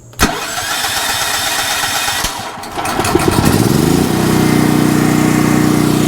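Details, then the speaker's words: Westinghouse 7000W (8500W peak) generator, about 10 years old, converted to propane with a US Carburetion snorkel kit. Cold start after a prime, with brief cranking, then it catches and settles into a steady, even drone with no misses; healthy start. "you can hear listen that prime primes it and then hopefully we can just go to on and run it should start right up"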